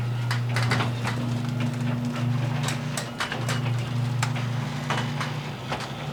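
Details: Garage door two years after green hinge system install: steady low motor hum with only light scattered ticks as panels travel, quiet and smooth; normal quiet garage door operation.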